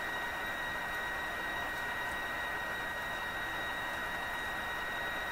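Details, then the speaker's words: Mohawk Serenader farm radio fed a 1 MHz signal-generator signal at the antenna, dial reading about 1; steady high whistle near 2 kHz with a fainter one near 4 kHz over even hiss; the set receives but squeals; receiver squeal. "So that pretty much proves the radio operating. Operating with a squeal."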